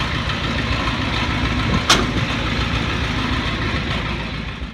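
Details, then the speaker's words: 1984 Ford F250 after a repaired water-fuel separator, fuel system primed at the separator, push-button start: the engine starts and settles into a steady, even idle with no misses, knocks or stumbling. "let's see if it starts up you're gonna push the start on this one hey what do you know starts up pretty good"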